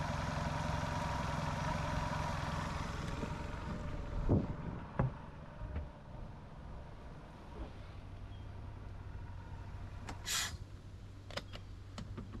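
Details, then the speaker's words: Sea Ray boat engine after a new fuel line and new idle air control valve: a low, steady burble with an even beat and some handling clatter, idling smoothly at the correct rpm. It is fixed. "But regardless of all of that, with the IAC, it is idling better. It is idling at the correct idle RPMs."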